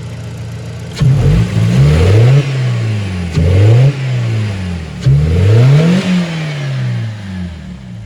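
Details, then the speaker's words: BMW E87 1 Series drift car with the airbox lid removed: three quick blips, the pitch climbing then falling each time, with a deeper, throaty induction roar; it revs cleanly with more intake noise and no obvious power change. "Okay, so first test with the airbox lid taken off. Definitely got a little bit more intake noise."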